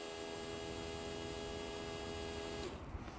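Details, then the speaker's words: 2005 Land Rover Freelander TD4 diesel in limp mode with code P1260: a brand-new replacement fuel pump runs with a steady, even electric hum and clean whine, sounding completely different from the old pump, which was judged to be the fault. "even the way the pump runs is completely different sound and everything so I'm pretty much convinced that our problem was the pump"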